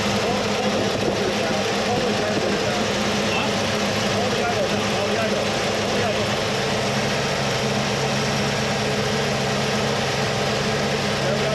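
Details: 1979 Mercury Capri with 351 Cleveland V8, distributor freed and retimed to about 10° initial (about 32° all in): steady even idle with a constant low rumble and no misses or knocks; idles cleanly.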